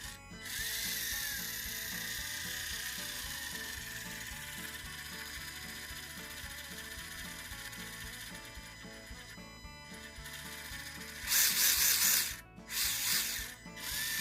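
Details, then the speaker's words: SCX30 RC crawler (K10 with Endura wheels, freshly glued tires): fast steady ratcheting clicks while driving, harsher bursts near end; owner suspects debris stuck in it or wheels mounted too tight, unconfirmed. "Cool. I hear it clicking. I think I got a piece of something stuck in it, maybe."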